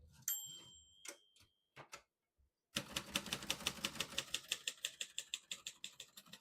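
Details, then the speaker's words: Serviced 1957 Royal Quiet De Luxe portable typewriter: a bright margin bell ding signals the end of the margin, then crisp regular key strikes about three per second; normal typing with margin bell. "Once you hear the bell, you're at the end of the margin."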